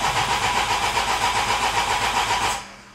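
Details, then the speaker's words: Project 16v engine cranking on newly fitted battery, previously cranked very slowly: fast even cranking about four beats a second, strong starter whir, no firing; still won't start, suspected earths, cam sensor pins, no cam/crank synchronization, possibly damaged ECU. "Yeah, sounds a million times better, doesn't it? So, anyway, she still won't go."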